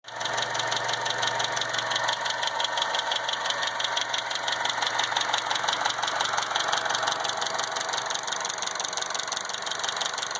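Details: 2012 Chevy Cruze petrol engine idling with a fast, crisp ticking from bad hydraulic lash adjusters (lifters), not injectors.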